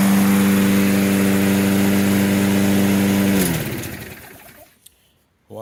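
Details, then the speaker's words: Toro self-propelled mower, Briggs & Stratton 6.75 (believed) with auto choke, after a basic tune-up and fresh gas; it previously would not restart when hot. Smooth steady single-cylinder hum, no surging, winds down cleanly; normal running. "first pull it's cranking up first pull see what it does as the engine heats up let's try it again"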